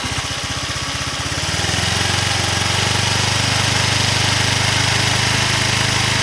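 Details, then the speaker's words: Honda Vario 125 (old) after valve clearance readjustment, rocker arms somewhat worn: starts and settles into fast idle with light rapid tapping on top; valve train tick persists. "Kalian saja saya coba untuk setel ulang klepnya karena tadi kan berisik, meskipun sebenarnya ini templarnya sudah agak oblak ya, mudah-mudahan bisa sedikit lebih halus."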